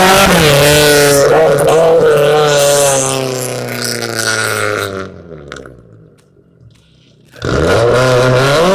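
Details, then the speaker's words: Chevrolet Cavalier with an already weakening engine, while driving: a loud droning roar that rises and falls with road speed and is heavy under load; owner hopes it is an axle but doubts it; drivetrain noise, source unclear. "I'm really hoping it's just an axle. I doubt it, because axles don't go like that usually, but it does happen."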